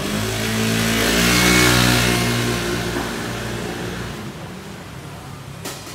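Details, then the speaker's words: Honda Lead 110i scooter after CVT clutch rework and air filter replacement, which also fixed its judder; engine revs up cleanly and smoothly, settling to a steady even note, pulling freely and healthy, stronger than stock. "nồi Rất là nhẹ máy ha xe này zin nó nó yếu xều à mình phải làm nồi nó mới mạnh được vậy rồi"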